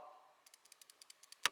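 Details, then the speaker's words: Loose belt tensioner shaken by hand near the microphone in a Brazilian workshop (S10 2.8, Omega 2.2, Corsa, Clio jobs): light metallic clicks in quick uneven bursts, dry bearing balls knocking metal on metal plus spring play; tensioner should be replaced. "você sabe que que é esse barulho cruzada é as esferas do rolamento que tá o seca dentro batendo ferro com ferro e a folga da mola aqui ó"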